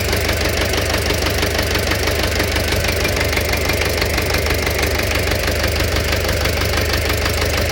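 A sharp, regular knock taps steadily over an even idle and keeps pace with the engine; there is a knock inside the engine, cause undetermined.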